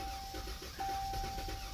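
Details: Dodge Charger no-start with P0300 multiple misfire: starter churns with even quick pulses and a warning chime but never catches; at first suspected no fuel.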